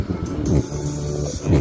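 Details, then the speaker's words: JBL Xtreme portable speaker with garbled sound: music plays with a harsh buzzing rattle on the low notes from a torn speaker cone. "Ang issue nito garalgal guys. Ang tunog guys. Ayan oh. Pagka pinatunog. Basag ang speaker nito guys."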